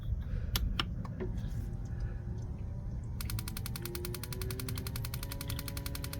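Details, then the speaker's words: New Bouge propane water heater, E3 error code, fuse intact, several propane canisters tried: fan spins up, then steady spark ticking about eight a second with no burner roar; igniter sparks but never lights the propane. "You can hear the igniter going, but it never ignites the propane."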